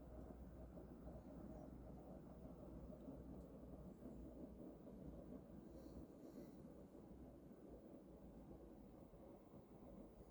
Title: Mitsubishi Heavy industries air con making noise in cooling mode.